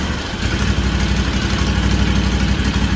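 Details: Freshly rebuilt Kawasaki FR730V V-twin in a Cub Cadet SX60, just started, before break-in; steady, even low thump at idle, no misses or knocks, pretty quiet with no smoke. Normal idle.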